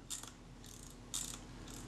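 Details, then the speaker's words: 85-year-old Kodak Retina II type 122 film camera after its spring was reshaped and shortened: four crisp ratchet bursts of light clicks; the springs no longer interfere and the film advance works as designed. "got it to the stage where the springs are not interfering with each other and the film advance works as designed so i'm quite pleased with that"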